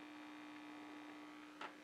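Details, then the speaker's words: GE 404 six-tube radio after electrical work: steady mid-pitched hum, no stations across the tuning dial even with volume up; tubes tested and some swapped without change; cause unknown. "I tested the tubes I changed a few out and nothing makes a difference I mean it is humming if you hear that"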